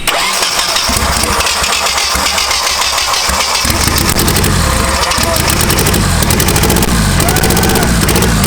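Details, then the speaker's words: First start of KA24DE-T turbo engine swapped RWD into a Honda Civic: cranks, catches about four seconds in, lumpy uneven idle with missing beats; misfire, running on two cylinders. "yeah it sounded like it was running on two cylinders"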